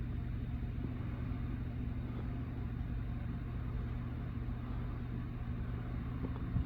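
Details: PC fans on the first power-up after cleaning a 3-year-dusty PC and CPU cooler and reassembling, with the fans still not fully clean; quiet, even low hum with no rattle, ticking or scraping, running smoothly before a noise later appears.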